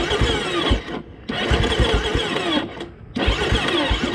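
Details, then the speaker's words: Well-used 2011 KTM 450 EXC single, not ridden for a while: short bursts of labored starter churning with pauses between tries, never fires; owner suspects a low battery and next tries the kickstarter. "Yeah, the maybe not. The starter's going. I think the battery's probably low as well, since I haven't been riding it."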